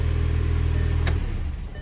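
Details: 2008 VW GTI manual 2.0T FSI, 82,000 miles, short run after oil change, no dash lights: steady, even low idle with no ticks or misses for about a second before switch-off; healthy.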